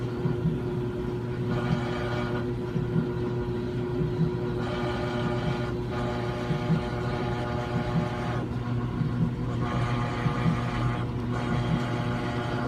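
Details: Brand-new Samsung washer running: a steady low buzz holds through the run, with a brighter hum swelling every few seconds; abnormal buzzing noise, and the washer was returned.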